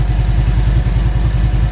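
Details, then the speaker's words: Motorcycle that sat outside for a year, first start; low lumpy beat with uneven, slightly stumbling rhythm, didn't seem to want to start up fully and was sketchy at first; hesitant running after long storage. "The bike didn't sound like it wanted to start up all the way though. When I first started it, it was a little sketchy."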